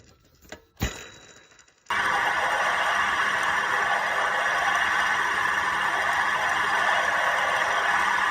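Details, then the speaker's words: Running engine: steady rough whirring grind with low hum from a damaged belt tensioner pulley bearing, worn by constant side load from belt tension; noise typically rises with acceleration; bearing sits inside the pulley. "Derivado a que este rodamiento recibe constantemente una carga lateral derivado a la presión de la tensión de la bomba, es común que se dañe. Ya sea un tensor automático o un tensor manual, cuando está dañado, podría escucharse algo así."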